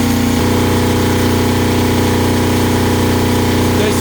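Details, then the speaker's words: Kubota GL 7000 diesel generator adjusted to about 61 Hz, under about 1.7 load: even, steady drone of constant pitch, no hunting or surging; running normally under load. "I tweaked it just a little bit more and I got to about 61 Herz which I think is good for a running State"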